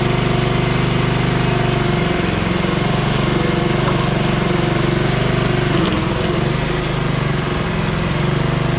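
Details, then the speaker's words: Honda HRR216 push mower, GCV160 engine, oil found black: runs loud but the beat wavers and sags when blades engage under slight load, surging; carburetor to be cleaned, fuel cause suspected. "and did you did you hear it surge when I engage the blades and put it under a slight load so we're going to clean that carburetor too"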